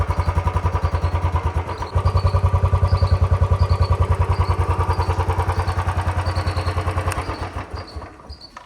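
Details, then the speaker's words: 2019 Royal Enfield Bullet 350 single idling after a ring kit fitted to cure an engine tik-tik noise that began around 3137 km; even steady thump, no ticking heard. Normal idle. "तो भाई आपने इसकी आवाज सुनी है अभी तो फिलहाल मुझे कोई भी टिक टिक की आवाज नहीं आ रही है"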